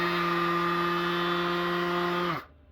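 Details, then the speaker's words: DeWalt palm sander after repair: the pad was taken apart, the tool blown out with an air compressor and reassembled. It now gives a steady, even high-pitched hum and runs smoothly until switched off, where it winds down. It sounds normal and better than before. "Took apart the pad here, pulled it apart, blew it out really good with the air compressor, put it back together, and it's better."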